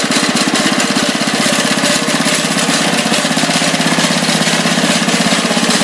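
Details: Tractor with working hydrostatic drive, moving under way: small single engine pulses fast and even at steady speed, no knocks or misses; runs fine, owner notes clutch noise and idle set down.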